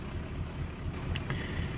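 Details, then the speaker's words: Toyota Starlet petrol engine just after a cold start with choke on, not yet warm: steady low idle with a slightly rough shake and audible valve clatter from the cylinder head because oil has not yet circulated; about 5 minutes of warm-up needed. "Dan juga suara yang di klep itu juga akan di bagian atas silinder head itu akan seperti suara klepnya akan lebih terdengar gitu ya."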